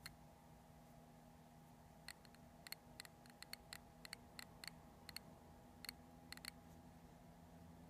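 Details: New Multistar 2216 v2 brushless outrunner motor: sharp, irregular dry clicks, about fifteen in eight seconds, over a faint hum; a bad bearing is suspected but unconfirmed.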